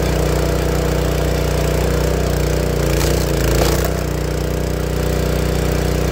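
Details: Honda GX160 single-cylinder log splitter engine, after spark plug replacement, holding a steady, even thump at constant speed with no popping or coughing; earlier it popped and coughed once warm and died, traced to a failing spark plug. Normal running.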